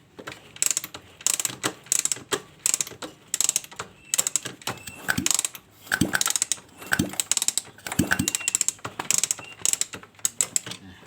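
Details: Suzuki Smash Titan motorcycle after converting the dual clutch to a manual clutch, addressing a slipping kickstarter: bursts of crisp ratcheting clicks repeat evenly with each kick stroke, no slipping or grinding; kickstarter engaging properly.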